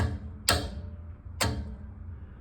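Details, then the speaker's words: Walk-in freezer sitting at 30 degrees, unit off on low pressure: sharp single clicks about once a second over low hum; defrost termination switch clicking at the wrong temperature; thermostat measured closed and working. "If she wakes up. Our thermostat went bad. Hell no, it's clicking there at 40,"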